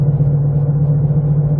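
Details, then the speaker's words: 2007 Jeep Compass just out of storage, deep steady hum/vibration while driving, appearing after changing to smaller rims and tires; owner says not the brakes, suspects the wheels, found nothing rubbing. Cause not confirmed. "can you hear that vibration you will in a minute and I don't know if it's the time the rims hear it I have no idea what it is the only thing I did was change Rim sizes"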